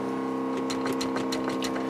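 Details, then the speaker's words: First-gen Dodge Cummins 12-valve diesel, cold start at about 15°F after glow plugs: steady electric hum with light regular ticking before cranking, the added electric fuel pump priming normally. "give that a second go noise you hear that's the electric fuel pump I put in"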